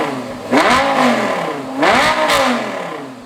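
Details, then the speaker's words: Lamborghini V10 after the spark plugs were redone, which had caused a misfire and spitting: two throttle blips rise crisply and fall evenly with no misfire, full V10 power restored. "That's a V10. That's better, Sam. We have a V10 power."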